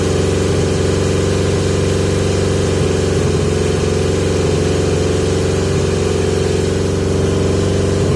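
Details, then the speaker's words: 1980 Yamaha XJ650 after carb work, running pod filters: steady, fast, even idle that never dips or settles to normal tickover; high idle persists, owner suspects air bracket setting, cause not confirmed. "I've still got a idle high idle problem so suggestions please people"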